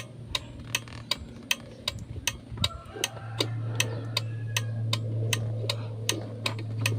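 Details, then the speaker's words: Kia Bongo after fixing non-working right turn signal (green/black wire): crisp even flasher clicks about 79 a minute over low engine hum; turn signals and hazards working normally. "So yun lang mga boss no at okay na ang kanyang signal light."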